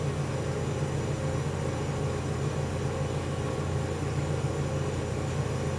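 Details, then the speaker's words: General Electric CJ-1-C16 antique flat-top mini fridge after repair and reassembly, charging in a 100-degree room: steady, even low compressor hum with faint soft pulse, no knocking or rattling; compressor sounds nice while float chamber fills. Normal running. "Compressor sounds nice. So for this system to start circulating, this float chamber has to fill up with liquid refrigerant to a certain degree."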